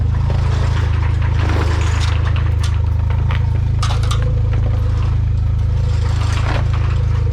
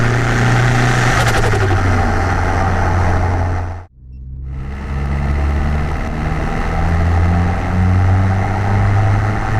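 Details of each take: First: Car with a 276 cam, first start on a new MRP 3-inch aluminum MAF housing with ECU fuel trims reset, basically warmed up: a fast, uneven idle pulse that hesitates and bogs on throttle blips instead of revving cleanly. Stumble on throttle blip. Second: Car fitted with a new MRP 3-inch aluminum MAF housing, after the earlier breaking-up was apparently fixed, warming up: even, steady idle with a clean low rumble and a brief smooth rev blip, no hesitation; normal idle and revving.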